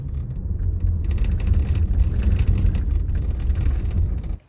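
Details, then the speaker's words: Inside a moving car: deep road rumble with quick, irregular light rattles from the two rear seat latches, which have play because worn floor brackets let them move. "after spending quite some time trying to figure this out I discovered that the parts that are rattling are these two latches on the bottom of the seat"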